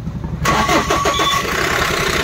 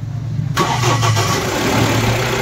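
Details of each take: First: Mahindra Bolero Pickup BS6 diesel with a starting problem: cranks, catches briefly and stumbles unevenly, then stalls; first fault code shows no fuel being delivered, pump and injector delivery to be checked. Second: Mahindra Bolero Pickup BS6 diesel after fuel line and pump work and erasing DTCs P0088, P262B, P128, P1233, P1832 for a no-start: brief crank, catches at once and settles into steady even idle; normal start and idle.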